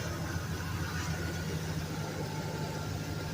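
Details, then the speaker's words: 2007 Dodge Ram 1500 5.7 Hemi V8 idling: deep steady rumble with a light rapid tick; oil pressure sometimes drops and the check engine light comes and goes; lifters, camshaft or exhaust leak suspected, unconfirmed. "there's the engine they told me it might be the lifters the cam chef or an exhaust leak I'm not too sure honestly hope someone could help me figure it out or give me some opinions"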